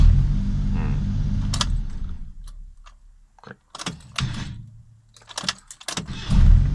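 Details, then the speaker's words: Suzuki Jimny JA11 with a starting fault: each turn of the key gives only a sharp single click, as if the battery were flat, with no cranking. Cause not yet known at this point. "これこれまさかた9月だねこれだうんこのカツンってなるでしょバッテリー綺麗みたいな感じバッテリーが無くなったよみたいな感じなんですよねこれこれこれ返っカツッカツッカツッていうこれんねーかっ"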